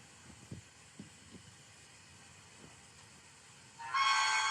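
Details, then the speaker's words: CNC milling cut: quiet spindle with a few soft thumps, then a loud piercing screech as the cutter vibrates excessively; tool chatter that ruins the part, unlike normal cutting sound. "you get chatter uh it's a which is a excessive vibration that happens then you ruin the part right away when you have that much vibration"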